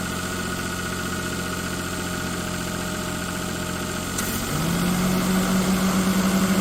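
Steady idle with a regular tapping about three to four per second, then a rising tone as revs pick up; abnormal noise, cause unclear.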